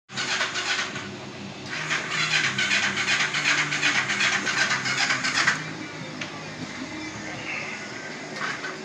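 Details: Yamaha XS400 with cleaned carb, good compression and spark, valves adjusted, exhaust gaskets and filters missing: uneven starter churning in bursts, no firing; cranks but won't start, a small fire occurred, cause unknown.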